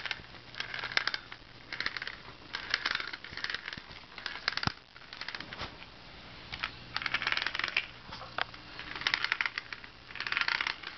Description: Clicking noise when rolling...not sure what it is